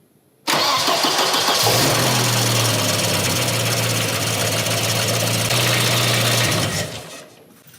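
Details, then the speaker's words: Volvo 240 after a timing belt job, new engine mounts and oil-leak repairs, with the battery charging: quick crank, catches at once and settles into a steady, even, smooth idle; normal start and idle. "she runs a okay no more oil leaks the batteries charging we're back in business folks"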